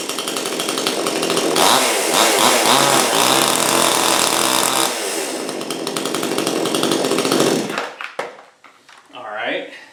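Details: Brand-new Supmix 6250 two-stroke chainsaw that would not start or run: here it buzzes raspy and high, revving up and easing off steadily before cutting out near eight seconds; it runs normally.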